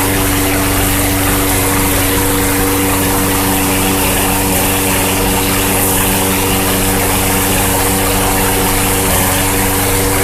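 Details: Troy-Bilt TB-210 21" front-wheel-drive push mower with a swapped-in Yard Machines engine, after drive belt replacement and freshly sharpened blade, run indoors with a fan on: steady, even single-cylinder hum, constant pitch, no knocks or misses; normal running.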